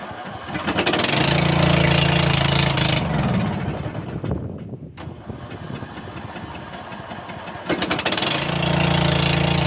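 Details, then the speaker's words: Snapper 150Z zero-turn mower, 20 hp, sat about 5 years in a shed, air filter removed, run on starting fluid: fires, runs a few seconds, dies, catches briefly again; won't run on its own fuel, fuel system cleaning needed. "Sweet. It runs. Um, it ran off starting fluid, but that's okay because it has been sitting for quite some time."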